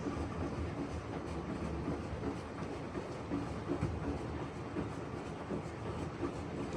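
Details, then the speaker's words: Maytag washer, complaint of loud noise, in diagnostic mode on agitation: soft, irregular swishing and light thuds with no squeak or grinding; agitation normal, spin and bearing not yet tested. "so on agitation i don't hear any funny noise or any squeaking or grinding noise"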